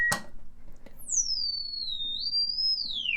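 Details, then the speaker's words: 1937 Silvertone Model 4486 console radio: the output transformer and permanent-magnet speaker are driven by an audio generator sweeping from 200 Hz up to 20 kHz. A clean, pure test tone glides high and back down without buzzing or breakup; reproduction is good. "There's your 200 starting, going the full gambit. All the way up to 20K."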